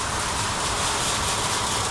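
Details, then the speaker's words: Farm hog barn feed auger system (Shelmar side two) running with new feed lines, no more leaking: loud, even rushing drone with no knocks or surges as feed arrives; normal running. "All right. Looks like we're going now. New feed lines, baby. No more leaking."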